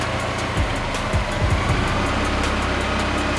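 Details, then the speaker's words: Mazda Miata, earlier dropped to about 250 rpm with heater and lights on, now holds a steady even idle with heater running, no dipping or hunting; idle issue not recurring. "now it's not doing it"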